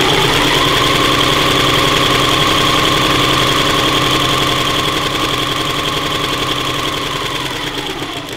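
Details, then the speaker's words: Singer 984 semi-portable sewing machine with front-load bobbin, running: a steady, fast mechanical whirr with a firm hum and a light regular rattle, slowing at the end. Normal, but slightly coarser-sounding than other semi-portable brands. "Suara mesin ini sedikit lebih kasar jika dibandingkan dengan mesin jahit semi portable merek lainnya."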